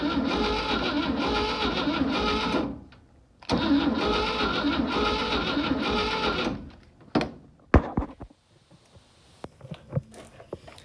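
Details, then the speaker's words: 1960 Grumman Olson curbside van pulled from a field, downdraft carburettor; even rhythmic cranking about three turns a second in two bursts, engine not locked, seemingly getting oil pressure. Healthy cranking. "okay so we got this thing turning over by a starter and uh that's a good sign starter works engine's not locked up and uh it seems to be getting oil pressure it sounds good"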